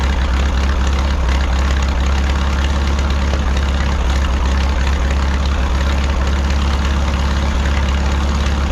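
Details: 1951 Farmall M tractor after making five new spark plug wires: deep, uneven four-cylinder idle with irregular thump and occasional stumble; knock and misfire persist, wires had no effect, no coolant in oil, cause not pinned down.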